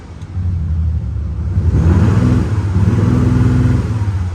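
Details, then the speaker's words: February 2020 Audi S4 Quattro 3.0 V6 TDI turbo diesel, 8-speed automatic, just over 48,000 miles, full service history: a smooth deep rumble swells cleanly on a rev and settles evenly, no knocks or misses, a healthy rev. "I will get Dan before we we get out just to um give it a little rev"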